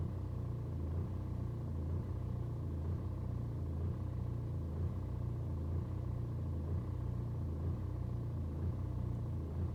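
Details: BMW 120d N47 diesel, cold start, no helpful scan codes, fine after driving and restarting warm: deep rumble with revs surging about once a second for over 2 minutes instead of settling; rough cold idle.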